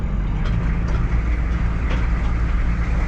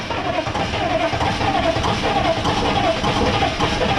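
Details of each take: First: Military M1009 CUCV (Chevy K5 Blazer) diesel revived after over two decades sitting, warmed up after running a while: deep even rumble at steady idle with no knocks or misses; normal idle. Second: Military M1009 CUCV (Chevy K5 Blazer) diesel, sitting over two decades, first start attempt without ether, with a little throttle: steady cranking with slow rhythmic beat and hint of catching, never fires; oil pressure builds to 40 psi; cranking, no start.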